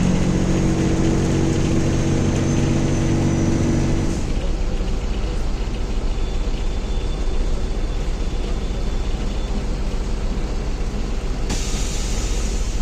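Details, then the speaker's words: 2021 MAZ-216 bus, recorded inside the cabin while traveling: loud, deep diesel drone with rattles, steady under load; excessive interior noise compared with a quiet 1986 LiAZ-5256. "Écoutez le bruit de ce bus. Honte! Le bus fait du bruit, rugit, fait du bruit, pète."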